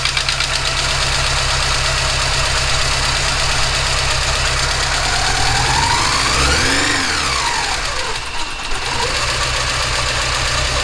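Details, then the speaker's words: Porsche 944 four-cylinder first start after head gasket replacement and reassembly: idle lopes unevenly, beat stumbling every few turns as if one cylinder drops out; suspected misfire on one cylinder, injectors to be test-fired; rough idle, misfire. "hmm well we have ignition but as you can probably hear the engine's running a little bit rough and it sounds like we have a misfire on one of the cylinders"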